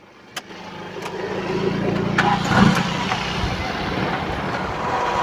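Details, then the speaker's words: 1990 Toyota Corolla Twincam 1.6 SE just started, at idle: engine settles into a smooth, even idle with no ticking or knocking, oil showing no coolant contamination; it sounds healthy. "ini e kondisi langsam suara mesin Masih normal aman tidak ngitik tidak ada ciri-ciri yang mencurigakan mesinnya masih halus masih normal"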